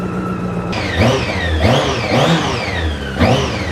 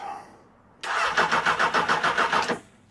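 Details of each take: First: Honda CB600 Hornet motorcycle after about 5 minutes running, warm, choke off; engine blips up and settles back cleanly several times, even firing, no knocks or rattles, normal running. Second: £400 Honda CB600 Hornet motorcycle, third start attempt with another battery; starter whirs in an uneven pulsing crank for nearly two seconds before catching, hard starting, cause not confirmed.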